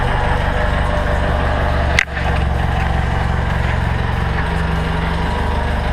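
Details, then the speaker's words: 1962 International Scout with a bone-stock engine, cold start after sitting in the shop all day, gas pedal pumped first. A brief clunk, then a steady low rumble with even firing pulses: normal cold-start idle. "this has been sitting uh in the shop all day uh this is pretty much a cold start I'll uh pump the gas once or twice and we'll hit the key here and you can hear this hear this old truck [Music] run"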